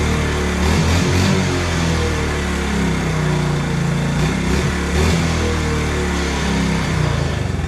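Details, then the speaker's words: 1986 Honda TRX70 single-cylinder engine on first run after rebuilding and cleaning its OE carburetor, burbling at a steady, even pace with brief blips. Runs smoothly. Normal running. "well it don't get any better than that that's why a cleaned OE carb is way better than anything else"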